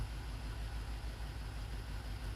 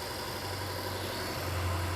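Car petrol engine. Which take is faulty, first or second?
first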